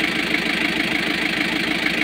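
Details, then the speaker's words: Kia KC2700 diesel after overhaul, which had been hard to crank: idling with an uneven stumbling beat and periodic dropped pulses over rough clatter; still misfiring at idle, owner suspects the injection pump strainer. "So meron pa din. Namamalya pa rin siya."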